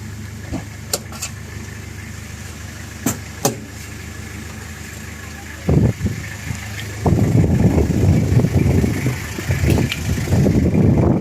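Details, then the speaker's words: Original-condition 2003 Toyota Kijang Krista diesel at idle: even, low diesel clatter with no knocks or misses over some handling noise, described as the typical Kijang diesel sound; engine healthy. "Kalau kita dengarkan ini suaranya sangat khas kijang diesel. Raungan mesinnya suaranya kalau orang sini bilang kreng-krengnya itu suara khas dari dieselnya itu sangat."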